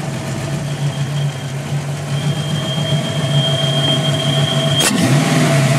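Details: 5.0 V8 at idle: a thin high whistle hangs over a steady idle until the revs are blipped; a bad vacuum leak.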